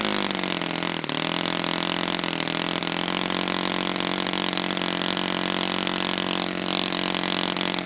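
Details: Brand-new Saito FA-100T twin on a test stand, first break-in run: fast, steady buzz held at one speed with a slightly soft, burbly edge; running rich as intended, oil dripping from exhaust, not lean, normal.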